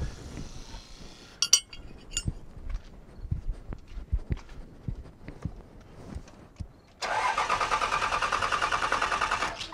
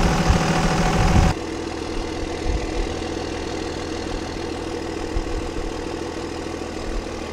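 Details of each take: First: Cummins 5.9 24-valve diesel in a second-generation pickup, after fuel pump replacement: long cranking, then catches and runs evenly, stops and restarts cleanly once air bled from injector lines; no-start blamed on old pump and air. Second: Cummins 5.9 24-valve diesel that would not start, restarted after bleeding air from the fuel to the injectors: a loud burst at start, then a steady, even diesel clatter at idle; the engine is idling normally.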